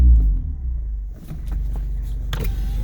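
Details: Mazda MX5 with aftermarket automatic roll-up window controller, engine idling: window motor runs with a smooth even whir, no grinding or stalling, though the controller otherwise behaved inconsistently; normal power window operation.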